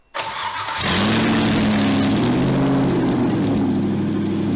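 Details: Chevy LS V8, 5.3, swapped into a Toyota pickup with a standalone harness, first start: brief crank, then it catches and settles into a loud, even, lumpy idle through open pipes, like a straight pipe. Runs healthy.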